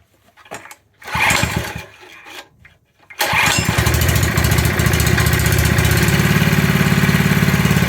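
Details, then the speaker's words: Scrapyard-rescued pressure washer small engine, run without water to the pump; a few pulls then catches and settles into steady even fast idle, no knocks or misses — normal running. "sounds good yeah it does doesn't it"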